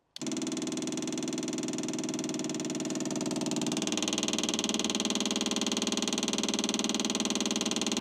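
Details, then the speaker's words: Track car left five years under a tarp in a car park, electric fuel pump just wired in with a new earth: fast pulsing electric buzz about two beats a second, note shifting partway. Pump runs but won't prime; air suspected entering through a split pipe or filter. "we just can't get the pump to Prime so we are going back over the PIP work again and again to find out where we've got a split and where the air is getting in there"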